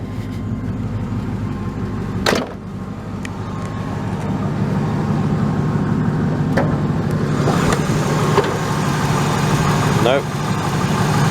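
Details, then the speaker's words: Ford Crown Victoria V8 idling during revival: a light, quick ticking rides steadily on top of the rumble. At first a plug wire was suspected to be off; judged to be just valve chatter. "just valve chatter"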